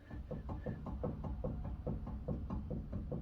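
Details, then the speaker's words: 1G DSM Eclipse (4G63), front wheel raised and rocked vertically top to bottom: quick dull clunks, several a second, from play in a worn front wheel bearing, before replacement. "as you can tell it has play you can hear it knocking"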